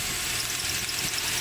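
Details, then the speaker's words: 2004 Toyota Tacoma SR5 4WD automatic, 2.7L 4-cylinder 3RZ-FE, 115,000 miles, idling: high repeating chirps about every tenth of a second; rearmost crank pulley completely wobbling, failed harmonic balancer shredding drive belts. "so let's start this engine up and here because it makes some kind of noises as expected and look in detail if the pulce are perfectly straight running or some of them or one of them will be wobbling"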